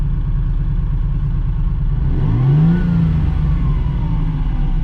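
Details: 17,000-mile US-market Dino being sorted for a customer, tach into orange at 7,500 rpm: steady low engine note rising cleanly in pitch under throttle, even and free of knocks; a healthy, well-sorted engine.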